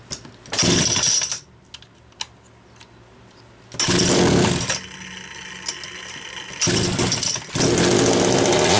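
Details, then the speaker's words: Homelite Super XL-925 chainsaw with good compression, double governed by a factory hole in the high-speed nozzle plus a governor assembly: snaps up in bursts but four-strokes and loads up at the top instead of screaming clean; needs tuning. "so you heard it loading up because of the governor's set up this is going to have to be tuned in the w"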